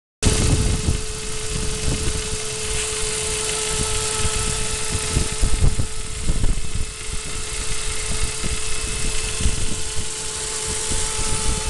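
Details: 2002 Saab 9-5 B205 engine at idle: uneven low rumble with a steady mid-pitched whine riding constantly over it, strange noise of unknown cause.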